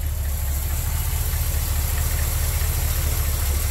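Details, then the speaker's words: Ford F-100 carbureted engine tuned with a vacuum gauge after carburetor repair: slow, heavy, slightly uneven rumble while adjusting idle mixture screws; idle speed definitely too low and needs to come up quite a bit. "it's definitely too low it's gonna get come up quite a bit"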